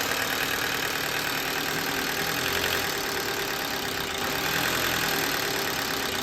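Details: Car with intermittent stalling, started after a new sensor was installed per a parts-store scan and put in gear. It no longer dies, but a light, uneven metallic clatter over the idle persists; the source is unconfirmed.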